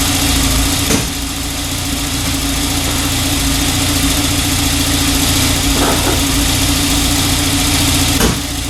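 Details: 1994 Volvo 940 Turbo wagon near 200,000 miles, idling after new fuel injectors and a new fuel filter fixed a misfire from a faulty injector. A steady, smooth low hum with no knocks or misses, only a couple of brief blips: a healthy normal idle.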